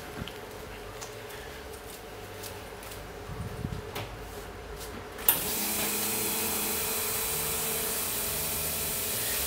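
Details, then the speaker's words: Newly built engine with three fuel pumps: after a quiet start, a loud steady whirring hiss switches on as the electric fuel pumps run normally; slight rattle from the clutch is also noted. "noisy the fuel pumps when you got three of them"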